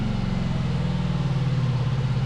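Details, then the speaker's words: 500cc twin-cylinder buggy engine after fixing a dead cylinder and synchronizing the carburetors with a SyncPro tool. Even, steady low pulsing from both cylinders with no stumble or skipped beats: smooth, balanced twin running. "Now the left one is doing a little bit more. It sounds good. It sounds good. I think we should leave it there."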